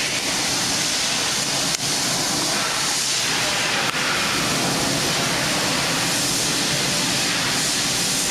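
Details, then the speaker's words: 2013 Nissan Altima with a newly installed blower motor, replacing one shorted by rodent intrusion (no AC, no heat), running with a fuse saver fitted. Steady, even rush of air with a constant fan pitch and no rattles or squeal. "we go. Got the fan on. You can probably hear it."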